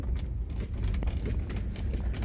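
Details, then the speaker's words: 2015–2020 Ford F-150 (also Super Duty, Expedition/Navigator) after sunroof cleaning per TSB 20-2093, driving over rough, bumpy pavement: only low road rumble and dull bump thuds, no squeak, rattle or tap overhead; sunroof noise fixed. "Nothing at all. No issues, nice and clean. No sounds."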